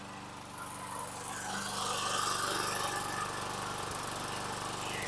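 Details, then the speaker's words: 2011 Troy-Bilt 21-inch self-propelled mower, 725EX engine, after carburetor cleaning, new bowl gasket and tank cleaning, second start: single cylinder runs fairly evenly, slight miss and burping earlier, possibly valve carbon; still a little smoky. "still a little Smokey so give me a second here"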